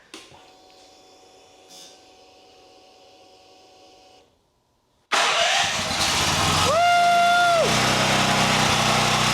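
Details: Champion EFI generator after the fix: quiet stretch, then catches and settles into steady, even running with a brief rising tone; running normally.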